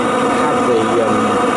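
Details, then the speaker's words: Webasto Thermo Top C diesel water heater, fully reconditioned, first test run before fitting to a narrowboat calorifier: even, steady roar with no sputter or surging, lit first time without lockout, settled and burning cleanly; normal burner operation. "It seems to burn very well. It lit up, it fired up the first time, which is amazing, really."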